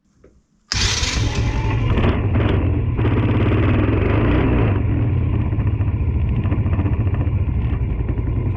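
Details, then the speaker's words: Tao Tao 110cc ATV quad, small single-cylinder, after replacing the carburetor (eBay carb with new intake), started on a jumper pack with a little choke: catches after a quick crank and settles into a steady, even idle, breathing better than the old carb; normal running. "sounds a lot better than the old uh carb that I had in there obviously better intake is breathing better"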